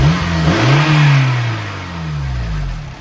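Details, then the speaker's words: Red Honda Civic Si FA5 (8th gen), 79,000 miles. Revs up and settles back with a light, quick ticking; loose valve lash needing a valve adjustment. "he's a big time valve adjustment that's for sure"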